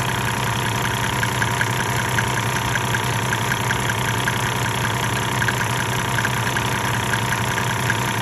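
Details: 1998 Mercedes-Benz E300 with OM606 diesel, 185,000 miles, at 9,000 ft in Colorado, idling for the Diesel Purge injector cleaning. A sharp, uneven clatter rides over a steady drone and it is smoking. It has never run well; the owner suspects the injectors.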